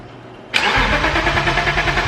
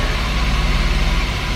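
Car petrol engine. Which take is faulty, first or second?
first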